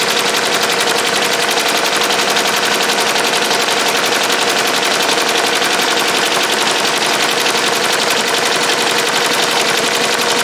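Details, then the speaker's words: Ricoma MT-1501 embroidery machine doing a fast-forward trace run after a stop: head traverses back to the last stitched point (the K) without dropping the needle. Rapid, regular clatter at a steady pace with no needle strikes; normal catch-up run. "basically it's going to act like it's spreading but it's not going to drop the needle at all as you can tell right so you're just going to hear the noise because it's going to catch up to where it last stop which was the K so it's basically going to fake run it all the way through until the image"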